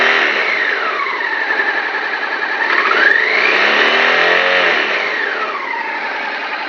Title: bruit moteur @T